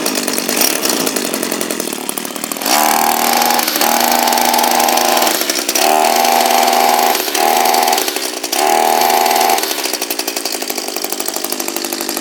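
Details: Echo SRM230 two-stroke line trimmer run with the fuel filter removed: revs climb and sag in uneven bursts about every second and never hold steady; the spark plug was afterwards found very loose, a possible cause.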